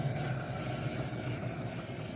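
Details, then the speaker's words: 2011 Chevy Impala with a humming noise while driving, right rear wheel spun by hand: a low, rough, gritty growl, harsher than the other side, with slight play felt, indicating a worn rear wheel bearing. "it's more harsh noise than the other side very obviously thicker noise"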